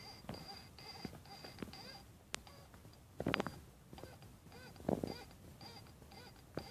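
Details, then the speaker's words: 1989 Toyota Supra 7M-GE water pump, under a year old, removed because it was leaking, turned by hand: high, thin squeaks in short chirps about forty a minute. Squeak when turned, cause uncertain. "Have a little bit of that squeaky noise while getting the water pump."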